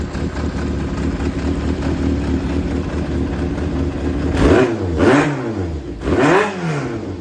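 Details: Yamaha XJR400 (4HM, early model) running engine assembly, compression tested, no abnormal noise or white smoke; smooth even idle then three clean throttle blips, no knocks or rattles; healthy engine.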